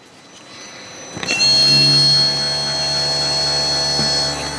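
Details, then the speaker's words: ABS pre-charge pump activated via scan tool with microphone held close during brake bleeding: thin steady electric whine starting suddenly at even pitch; pump may be bad if bleeding fails. "so you can hear the uh pump is activated so let's bleed the brakes properly and hopefully the car is fix"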